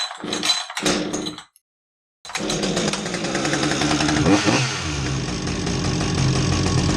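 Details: Husqvarna 562XP chainsaw test run after crank seal replacement: two short bursts, a pause, then a strong, steady high-pitched two-stroke buzz that picks up cleanly; the saw runs normally.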